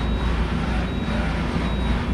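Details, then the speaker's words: 1998 Okuma MX-45VA vertical machining center X axis travel; low even rumble, no knocks, grinding or whine, only slight noise from the way covers; super smooth, healthy. "So let's go X. Same thing, super smooth. All you hear with this is the weight covers a little bit."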